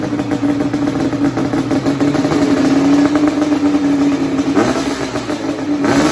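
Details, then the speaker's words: 1988 Yamaha Banshee two-stroke twin with a two-into-one pipe, started first kick: revs and holds a steady buzzing pitch with clean throttle blips, smoking; runs strong and healthy. "All right, turn it off. It's smoking us out. It runs pretty darn good."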